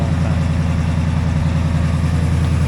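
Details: Warm 1964 IH Travelall C1100 idling with new starter and battery fitted, temperature 174 on a 180 thermostat: low, even idle rumble with a steady beat, nothing irregular; normal warm idle.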